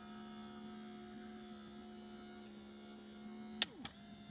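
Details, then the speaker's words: 1990 Pontiac Firebird rear hatch pull-down motor after reversing switch and motor replacement and housing repair: steady electric motor hum going down, crisp click as the catch flips near the end, then back up; normal, smooth operation. "And as it goes down, it's going to flip. You hear the click? Now it's going to come back up."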